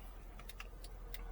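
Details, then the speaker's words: Mercedes ML500 after an electrical fix securing wiring against rubbing and road vibration, engine started: light, crisp ticks at a steady pace; hazard flasher clicks normally. "Make sure your hazards work. Make sure your fans work."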